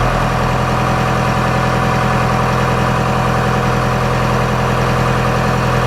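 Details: 4BT Cummins turbo diesel after an oil change and a washed-out air filter: smooth, steady diesel clatter at idle, even beat, no misses or odd knocks, sounding happier than before maintenance; normal idle.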